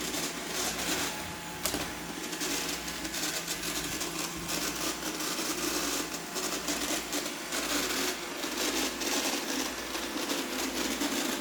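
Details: Roomba 860 robot vacuum running on hard floor: steady whir with irregular clattering and clunking throughout the run; the clunking happens on hard floors, not on carpet.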